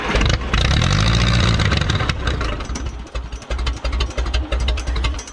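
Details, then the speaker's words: 1957 Case 310 Terratrac loader, unrun for over 20 years, started with starting fluid after a spark check, with a battery charger connected. It catches with a loud burst, then idles unevenly and lumpily, stumbling; it didn't want the throttle. "that was running it was idling and I moved it that's a lot better I think it'll start right up Ben though it didn't want the throttle"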